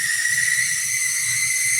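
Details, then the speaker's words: Cheap used Tyco HO scale model train engine at full power: a steady piercing high squeal over a faint low motor rumble, running slowly and seeming slower at full power; a dry or binding motor. "That squealing. Oh my God. Why are you squealing like that? Oh, it sounds like a demonic McDonald's train."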